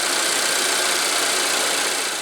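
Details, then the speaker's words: Volvo at high idle warming the cats after replacing the oil trap (part 32140004) for code P0171: idle drops to an even, steady hiss with no whistle. Normal idle after the new oil trap cured the whistling. "we're at high idle to warm the cats. I hear it dropping. Alright. No more whistling Dixie."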